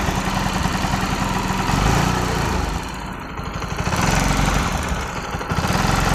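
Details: Bajaj NS 200 single-cylinder: idle rising and dipping with loose, irregular chatter on the beat; irritating noise recently noticed by owner; abnormal engine noise, source unclear.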